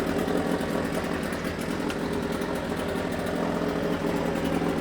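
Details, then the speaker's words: Suzuki DT6/DT8 two-stroke outboard with a Chinese walk-behind-tractor carburetor fitted, fed from external tank via fuel pump: even, steady idle putter with no stumbling or surging; runs very well, no fuel overflowing. "работает просто замечательно. Обратите внимание, что бензин не льется."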